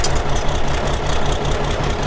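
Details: Ford 5000 tractor with swapped Ford Brazilian 7.8 six-cylinder turbo diesel, first run after sitting long, burning off steam and water vapor: regular, even diesel clatter at steady idle, firm low beat, no misses or knocks; normal idle.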